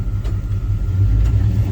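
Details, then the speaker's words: 1990 Chevy K1500 4WD V8 after fuel pump replacement, previously stalled when put in gear due to low fuel pressure: deep, even rumble in reverse with no stumble or dip; normal idle in gear. "let it dry she didn't die so the fuel pump at least fixed that issue"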